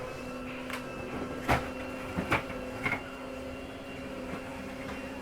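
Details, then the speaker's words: Flagstaff Classic 832CLSB, bedroom slide (slide two) retracting: faint steady motor hum with clicks and clunks; a little grinding noise at the end is normal, the slide keeping itself from overriding. "once you hear that little grinding noise it's okay to hear that it's just a slide keeping itself from overriding"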